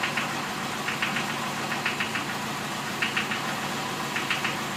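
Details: BMW 2002 M10 engine, almost all new parts, idling with sharp knocks in bursts about once a second, heard only at idle; from the bottom end, not the valves. Teardown found excessive crankshaft axial play; pistons and rods tight.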